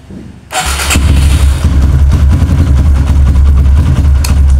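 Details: Kawasaki KLX with a new battery, fully charged then charger removed, key on, cranked repeatedly as a test: strong quick starter whirr catching at once into a steady low thump; the battery managed 13 starts and is judged normal so far.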